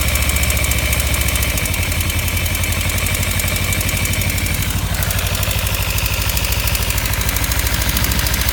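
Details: 2015 Kawasaki Ninja 300 twin at warm idle: fast, regular light ticking and rattle over the engine note, appearing only once warmed up; owner suspects the cam chain tensioner or loose exhaust header bolts, not confirmed.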